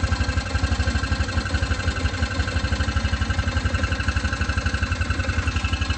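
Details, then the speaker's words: Hisun Vector 500 4x4 UTV after replacing the stuck auto air control valve, with a new ECU and Gates CVT belt: even, steady engine pulse with no knocks or misses, though the idle still dips and recovers; engine speed where it should be. "So it's right where it needs to be, but that's pretty much what it was."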